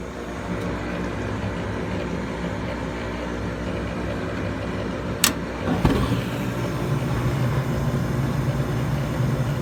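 Continuous low droning rumble with a steadier hum after a brief knock midway; the blower runs rough and rumbly.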